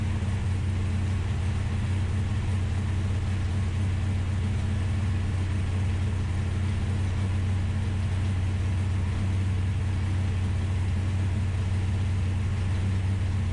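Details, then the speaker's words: Ultima GTR V8 supercar after 7 years sitting unused in a warehouse, restarted super cold with no coolant yet: deep steady burble, even speed, no ticking, knocking or stumbling; runs surprisingly well, injectors seem fine. "All right, guys, there you have it. The Ultima GTR is alive, and honestly, it runs surprisingly good for having sat in the corner of a warehouse for 7 years, not running."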